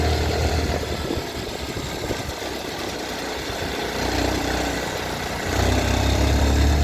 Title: mottu tvs sport 110 com barulho estranho no motor!